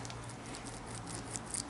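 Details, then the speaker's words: 1969 Triumph Daytona T100R plain rear wheel hub bearing, just removed and turned by hand: faint dry, scratchy, gritty patter from grit and hardened grease. "don't know if you can hear that it's like nuts on Cotton full of grit and all grease has gone hard"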